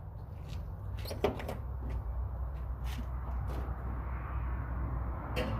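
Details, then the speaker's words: LS 6.0 V8 swap, first start, intake run to the MAF sensor: deep, steady low rumble with an even beat and no misses; starts, runs, idles on its own and revs. "okay guys so the video of his starting he does start he does run does idle on its own and I am able to rev it"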